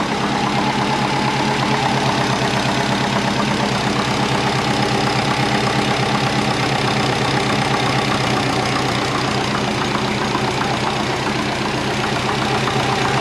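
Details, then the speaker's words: Twin-turbo compound Subaru Forester after sealing an exhaust leak at the three-bolt flange: steady, even idle with smooth regular exhaust pulse, no ticking or puffing; exhaust now sealed and healthy. "the exhaust is sealed up so let's start it up and see if we've got any more leaks I think of course we don't let's do it all right that's much better"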